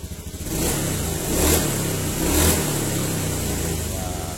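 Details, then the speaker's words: Honda Beat ESP injection scooter, 2016–2017, after repair of its low-rev stutter on initial throttle: the engine picks up cleanly with each throttle blip and returns to idle without stumbling, normal again. "Sudah normal kembali, alhamdulillah."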